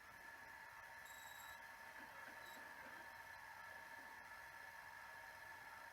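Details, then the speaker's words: Sony SL-C6 Mark II Betamax, before replacing Sanyo servo capacitors: thin steady whine with faint speed waver; head drum servo hunting. "yeah see you can hear the the heads hunting uh let's press pause actually not bad"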